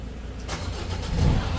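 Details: Ford Ranger diesel with over 300,000 km, after the clutch pump and pressure-retaining valve were replaced; it had been giving white smoke on start. Now it fires quickly into an even, steady idle with no smoke, stumble or miss.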